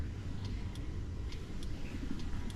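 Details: Volta 402 Virgo electric scooter, turn signal switched on: light, crisp tick-tock pairs repeating about every 0.9 seconds over a low rumble; the indicator flasher is cycling normally.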